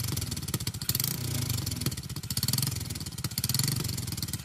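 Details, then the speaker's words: Jincheng 110cc two-clutch motorcycle engine, brand new, carbureted, test run: small single cylinder at an even idle, steady beat, no knocks, rattles or whine; healthy. "Máy nổ êm như chó thở luôn. Không tí gọng hú gì của máy cả."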